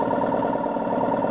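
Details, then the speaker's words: Salvage-yard tank with single-stage 2-piston compressor pump run with no oil: steady chugging with faint rhythmic rod knock, worsening around 100–130 psi; builds pressure slower after being freed up. "and it has a ugly rod knock when we get up towards, say, 100 to 130 psi. It gets progressively worse."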